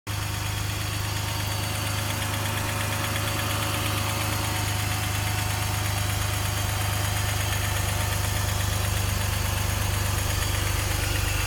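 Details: BMW M54B30 petrol engine knocking at cold idle: steady low hum with a regular light knock, about three to four per second.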